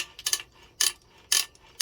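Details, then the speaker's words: Suzuki TC120 engine with a gear-shifting fault and metal in the oil: sharp metallic clicking bursts about twice a second when the kickstarter is spun, like teeth slipping on the kickstart gear; suspected, not confirmed. "Sounds like some teeth are slipping. Okay, that's the clicking right there. Yeah, just slipping a lot."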